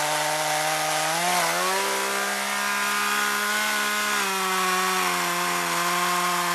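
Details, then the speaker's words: Chainsaw run on years-old stored mixed boat and chainsaw fuel: steady high buzz dipping slightly as the chain bites into wood and recovering smoothly; running fine under load. "say fuel mixing was a success it's is running right fine sounds good y we got it"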